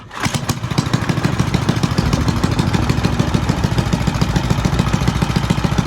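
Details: Fun Power 5 hp Briggs single-cylinder engine of unknown year on a vintage Fox Campus minibike, which the owner notes smokes but otherwise runs well: steady, even thumping at fast idle with no knocks or misfires; normal running.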